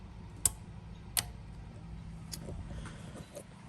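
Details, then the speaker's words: 2013 Ram 2500 with wipers that won't stop, bench test of the wiper relay with a test bulb: two crisp clicks about three-quarters of a second apart; the relay switches off cleanly, bulb goes out, working normally. "And it does. It turns off. I hear it turn off, and you can tell by the bulb. If it stayed on, the bulb would stay lit."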